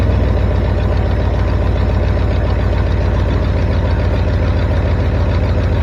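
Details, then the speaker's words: 1973 Ford F350 dump truck after fixing a vacuum leak: steady even low rumble with regular firing pulse, no knocks or misses; runs, though carburetor may need adjusting. "there it is folks uh the answer is yes it will start and it runs so I don't know it's uh might need to fiddle with that carburetor a little bit"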